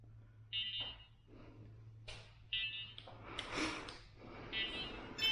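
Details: ShiFT Red drone after a crash: short high beeps repeating roughly every two seconds over handling noise, a warning with cause unclear.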